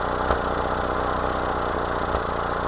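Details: 1992 Mazda B2600 idle with a periodic stumble, a dropped pulse about every two seconds breaking the rhythm; a misfire of unknown cause.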